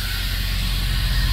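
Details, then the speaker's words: Semi trailer air suspension, 100 PSI tank feeding the height control valve via a pressure protection valve: steady, even hiss of air bleeding from a deliberately drilled hole in the airbag over a low rumble. Air leak from punctured air spring. "if we have a hole in our airbag the the uh height control valve is going to call for more air we'll put the arm up all right you can hear the air bleeding out of here"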